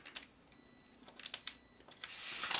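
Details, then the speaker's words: CtrlAX ultrasonic cutter (40,000 vibrations per second) fitted with a saw blade for cutting board. Two short, high beeps about a second apart: warning that the blade screw is not tightened enough into its groove. "If the tightening is insufficient, a beeping sound like this may be heard."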